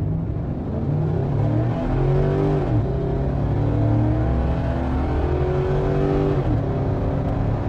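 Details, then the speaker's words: V8 with stage 2 cam and springs, custom tune just loaded via SCT X4 programmer: pulls hard from a stop all the way through 6000 rpm, pitch climbing steadily through each gear with clean shifts, no stumble; strong acceleration through rev range. "okay here we go now let's give it a run yeah it pulls all the way through six thousand from a stop"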